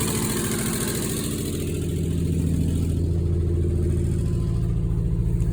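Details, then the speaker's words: 1968 Ford F100, idle after fitting a new carburetor, new fuel pump and new fuel tank with fresh gas, starting on the key: steady, even low V8 idle with a firm regular beat, no misses or knocks; normal idle. "Fresh gas, and she does run. She starts with the key."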